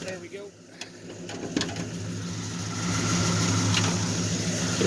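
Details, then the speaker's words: 1972 Ford LTD with a 400 big-block V8 on its stock two-barrel carburettor idles with a steady, even deep burble and no knocks or misses. Earlier smoke from stuck rings has cleared. Normal idle. "so it's a running running pretty smooth you know the only thing about this engine uh we went through it pretty good uh rebuilt the car with the two barrel stock u"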